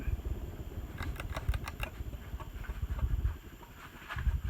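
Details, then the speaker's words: 1989 42-inch Hunter original ceiling fan coasting down after running on high with slight wobble; soft rhythmic brushing pulses once per turn as it slows, something still lightly rubbing. "you hear that that's it still rubbing just slightly so need some work but luckily nothing too hard that I can't fix"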